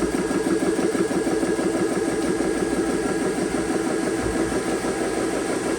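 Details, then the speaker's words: Compressor filling a magfed paintball marker's buttstock air tank, fan cooling it, bleed valves shut: steady, rough pumping chug about three strokes a second, no knocking; loud but normal compressor running. "It's going to be a little bit loud. I apologize for this video because the compressor, of course, is, you know, compressors are loud."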